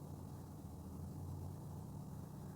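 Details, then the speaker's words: Toyota Yaris that would not start, now starting after a fuse and component change; quiet, steady low hum at idle with no knocks, ticks or squeals; normal idle, no fault found. "से गाड़ी चालू हो गई तो कोई भी fault नहीं है"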